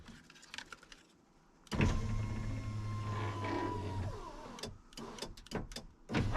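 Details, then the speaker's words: 2000 Ford F250 Super Duty 7.3 diesel power window, after spraying penetrating oil into the track: the motor hum sags and strains near the end of travel as the glass drags. Owner still thinks the track is bent; binding. "still think this uh this track is bent or something"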